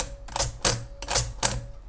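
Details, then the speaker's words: Princess 300 typewriter carriage shift: four sharp, heavy clunks about half a second apart; shift feels heavy and louder than another machine, with an almost grinding noise as it catches on something; cause not yet found. "the Carriage shift is really it's it's really heavy um compared to my other machine which is one really light two that that the red machine's much quieter if we listen we can kind of hear it's kind of like a g almost grinding noise it's catching on something"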